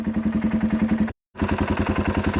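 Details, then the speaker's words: Lifted 2016 Polaris Sportsman 570, first start of freshly rebuilt engine: even, regular firing pulses picking up cleanly on throttle, no knock or misfire; engine runs well, unrebuilt clutch a little noisy. "but she's running that engine sounds good the clutch is a little noisy"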